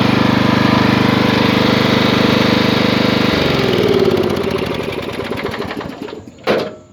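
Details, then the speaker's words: Craftsman LT1000 lawn tractor, 18hp Briggs & Stratton, freshly tuned up (oil, air filter, plug, fresh gas); even steady beat at one speed, then clean shut-off and smooth wind-down: normal running. "reverse lay it's off lights are on purrs like a kitten you can bring it down a little bit lower and bring it"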